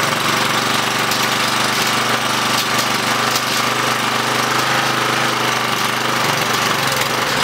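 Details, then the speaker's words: Curb-found Craftsman 917371722 mower with Honda GCV160 engine after cleaning the dirty carburetor and adding fresh gas: steady, even single-cylinder drone with no misses, surging or knocks, and no smoke; it runs great. "no smoke that's a good thing all right so overall the mower ran great we just had to do some simple things to it the carburetor was dirty"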